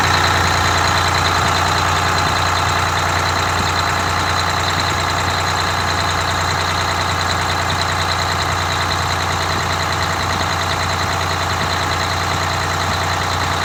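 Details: Detroit Diesel 6V92TA (rebuilt, had been sitting) in a Wanderlodge bus, idle being reset from too high (minimum recommended 500 RPM): steady, even two-stroke idle with smooth unbroken beat, no misses or knocks. Finding: normal idle.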